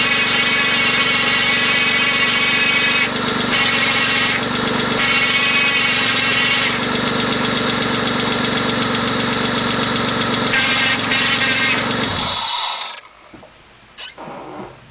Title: transmission weird noise now in neutral